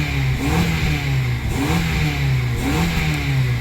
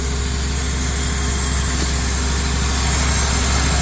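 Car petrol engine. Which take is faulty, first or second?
second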